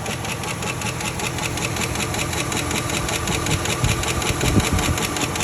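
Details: 2007 Chevy Silverado 1500 WT 4.8 V8 at idle, clean oil and a new battery: a steady sharp ticking two to three taps a second. Owner suspects a lifter, rod knock or an exhaust leak; not confirmed.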